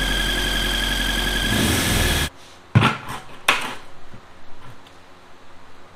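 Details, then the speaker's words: Honda engine after a VTEC cylinder head swap, at idle: thin, steady high-pitched squeal over the idle for two seconds until shutdown, then only clunks; began after short drives, owner suspects the cylinder head, source unconfirmed. "I started driving it around the block around the neighborhood here and there and then um it started making a really high-pitched squealing noise"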